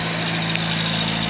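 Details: A Datsun 521 pickup idles with a steady, smooth low hum and no ticks or knocks. It smokes under throttle, so valve stem seals are suspected bad, and it dieseled about a minute after shutdown.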